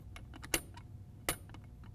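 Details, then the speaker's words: AASHTO T89 liquid limit device being calibrated with a 10 mm block under the cup, crank turned; soft ticking with a light ping about every three quarters of a second, showing correct drop height calibration. "And that tells us we're properly calibrated if the cup is lifting too much or if you don't hear that ping, you then have to loosen these screws that anchor the the cup onto the base plate and then adjust to move the cup in and out"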